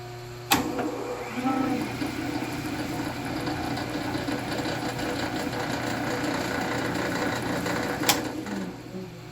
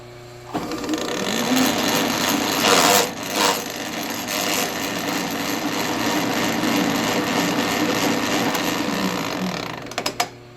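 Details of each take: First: Vintage Sheldon lathe with a 3-phase motor running with the gear train disengaged; low, even motor hum and soft steady whir with no knocking or gear noise, very quiet. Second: Vintage Sheldon lathe with a 3-phase motor, gear train engaged; harsh, uneven clattering and rattling with no steady rhythm from worn, sloppy change gears and bushings.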